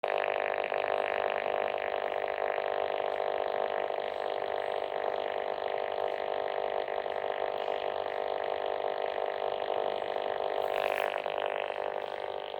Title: Buzzing noise on 148.460MHz with my new Abbree 108cm antenna | Baofeng-UV5R